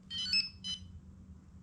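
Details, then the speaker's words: XP MI-6/MI-4 metal detector pinpointer, fully charged, being switched on: short bright electronic chirps, two quick bursts then a third, as the light blinks three times; normal power-on tone. "power it on it blinks let you know what's happening you'll hear a little sound"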